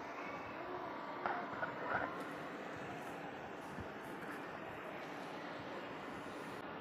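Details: Tenjima ARC120 welding machine, dead unit fixed by reconnecting a broken cable at the back: quiet, steady, even whoosh of the rear cooling fan with no rattle or scraping; fan running normally.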